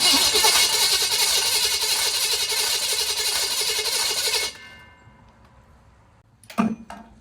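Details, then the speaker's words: Budget small-block V8 in a 1940 Chevy with 60 psi oil pressure and good spark: strong even cranking about three to four turns a second, never fires; no-start, owner suspects sticking or burnt valve, severe crankcase blow-by suggests broken ring. "It almost sounds like it could have a valve sticking, but I turned over the motor by hand, and everything turned. So, it could have a burnt valve."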